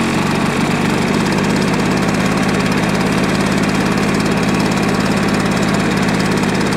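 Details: Old tip-salvaged two-stroke lawn mower on 25:1 fuel mix, started on choke; buzzy, fairly steady but uneven burbling note, running very smoky with throttle not working properly; rough running, cause not pinned down.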